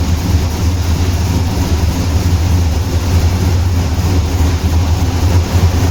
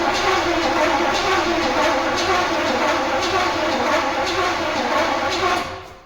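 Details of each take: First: Turbo Pontiac Trans Am started after years, running outside on 15–20-year-old fuel after the distributor was reinstalled and ignition timing set with a lamp: deep, steady low rumble without misses or backfires; now running well. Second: Turbo Trans Am, Swiss-market car, first start attempt after years of sitting. Distributor was checked; the owner suspects no signal from the ECU/spark control module and tries a jumper. Starter churns steadily at about two beats per second but the engine never catches: crank, no start, no ignition.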